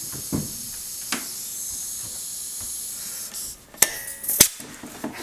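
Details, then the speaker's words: Pancake air compressor with a pressurized hose attached: steady high-pitched hiss of air escaping at the hose quick coupling, which drained the tank overnight; swapping the coupling fixed it. "but then I started fiddling with it and so let's get a closer look what put the hose in and I noticed if I and if I let it sit I mean there's not even eight you can hear the hissing"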